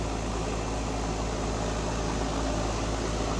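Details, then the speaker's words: Home A/C outdoor unit that would not turn off, after replacing the contactor/relay contacts: smooth hum with even fan whoosh and no clicks or chatter; compressor and fan running normally. "All right, as you can see, it's working. Relay's running good, fan is running, excellent."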